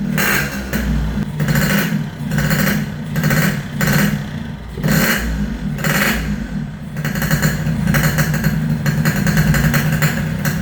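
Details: Yamaha RX King single-cylinder two-stroke after repairs for compression loss (worn right crankshaft seal and O-ring, resurfaced block, fixed head leak), air-screw tuning: clean even blips, crisp exhaust note, no misfire; running normally.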